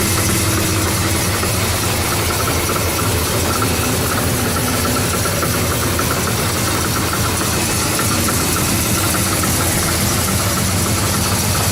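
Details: 1970 Oldsmobile Cutlass V8, cold start after sitting a while. A fast, uneven metallic rattle rides over the idle rumble: the exhaust header is hitting the frame and needs adjusting.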